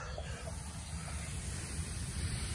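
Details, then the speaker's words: HVAC system after compressor change-out, vacuum would not pull so coil pressurized: steady rhythmless hiss over low background; the evaporator coil is leaking refrigerant. "hear that that coil is leaking"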